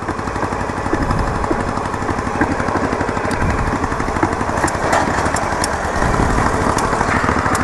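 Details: Yamaha Virago XV920 café racer on its first ride after a build: an uneven, lumpy twin rumble with loud backfire pops every second or so, plus an unidentified clicking; no grinding noise; the carbs need syncing.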